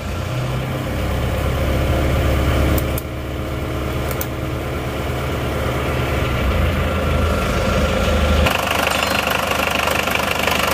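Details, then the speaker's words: Isuzu Panther 2.5 diesel with non-original rebuilt internals, first start after rework, cold with a non-stock air cleaner: steady, even clatter at about three beats a second, not too rough; sounds healthy. "Ini karena cleanernya ya sudah bukan bawaan ini masih dingin belum kelihatan"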